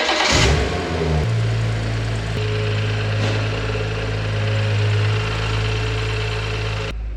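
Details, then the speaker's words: BMW 114i with its original engine, during an M140i conversion, after the oil was replaced: the starter whirs briefly, then it settles into a steady, even idle with no knocks or misses. Engine still running fine. "all right you guys so that's it engine is still running fine oil has been replaced"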